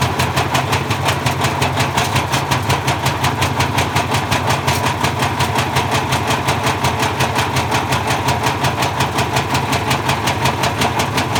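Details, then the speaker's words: Bosch Classic 6 1200 Express washing machine hot-wired straight to motor, top ballast removed, loaded with objects; heavy regular banging near three thumps a second as loose drum slams; drum spider broke apart. "so i think somewhere along the line there we lost the spider at the point where it was going fast and slowed down it's gone completely loose inside and i think it the spider just fell apart there"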